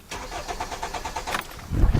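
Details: 2010 Hyundai Sonata cranking during fuel pump relay and circuit testing: starter turns briskly at an even fast beat and the tachometer moves, but the engine never fires; no fuel delivered.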